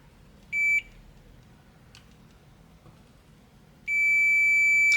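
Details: Midea air conditioner control board that will not power on: short meter beep then long continuous beep at the voltage regulator input, a short traced to the linked diode; either diode or regulator suspected.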